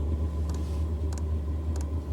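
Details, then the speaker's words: Aftermarket diesel air heater installed in Sprinter van, starting up: low steady fan rumble with a crisp dosing-pump tick about every two-thirds of a second, pump speeding up and ramping before leveling out; normal startup. "And it'll gradually ramp up, and then it'll level out, and it won't be as loud. And as you can hear, the pump gets faster,"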